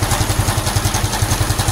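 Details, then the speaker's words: Honda Supra X 125 FI after racing valve springs fitted, warm idle: steady light clatter about eight ticks a second, not from head but tensioner/magneto side; cause not found, crank or counterweight suspected, better than before. "Tapi setelah saya deteksi itu bukan dari head ya, Teman-teman. Ini suaranya tuh dari sebelah sini."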